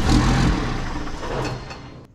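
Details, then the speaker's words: 2001 manual Cummins diesel Ram salvage truck, first start on a jump starter: fires with a brief rumble, then fades and dies within two seconds, and revving doesn't keep it alive. Starts then stalls, suspected out of diesel (alarm also suspected). "oh that's weird okay we gotta start but no run not maybe i have to give it some gas"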